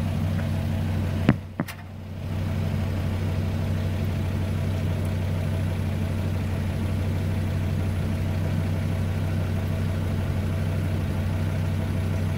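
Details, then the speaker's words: 2009 Volvo S60, 175,000 miles, idling just after replacing the original fuel filter while checking for leaks, none found: a brief handling clatter, then a steady, even low idle with no misses, knocks or hiccups. Normal idle. "we've got to start the car and make sure this doesn't leak as you can hear the car is running and over here no leaks there no leaks"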